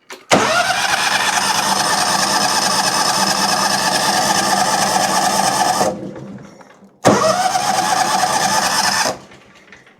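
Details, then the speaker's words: John Deere X300 with Kawasaki V-twin that pops and bogs under load: with one plug grounded, the starter spins about five seconds, then two, but the engine never catches on the remaining cylinder, suggesting a fault on that cylinder. "appears that the opposite cylinder does not want to run at all. Okay, so that means that there's something going on with that cylinder likely."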